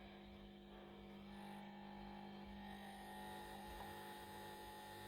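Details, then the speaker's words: 1967 WEM Dominator MK2 valve amp before its full service: a steady low buzz with a faint higher tone that feels like a vibration. A loose transformer or loose transformer bolts are suspected. Amplifier buzz. "Now, I plugged this in earlier in my teaching room, and it had got a bit of a buzz on it, which felt like a vibration really."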